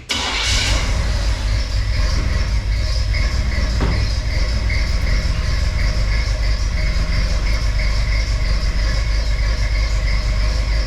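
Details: Untested used Craigslist Small Block 350 V8, sold as having a bad distributor, on first start in a Chevy van after timing was advanced by guess: cranks and catches with a sharp pop, then runs rough; backfire or misfire, cause unconfirmed.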